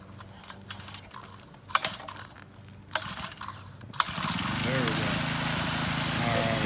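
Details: Luyuan 40cc two-stroke pocket bike after centrifugal clutch and transmission replacement: after a few pulls it fires and settles into a steady, high buzzing idle with an even beat; normal running.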